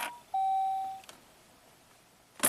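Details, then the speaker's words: 2006 Saab 9-3 Aero V6 turbo manual, key-on after clearing the fault memory. A single short chime, then only key clicks, with no starter sound and no check engine light: still no crank. "No, it does not. Let's try that again."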